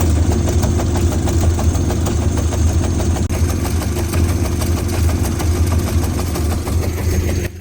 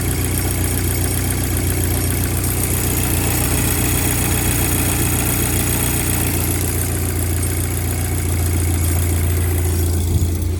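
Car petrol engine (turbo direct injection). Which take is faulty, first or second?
first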